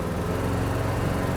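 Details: 1971 Plymouth GTX with numbers-matching 440 V8, cruising about 40–45 mph with windows down: deep steady rumble, even low pulses, no knocks, clunks or vibrations; healthy engine, transmission shifting perfectly.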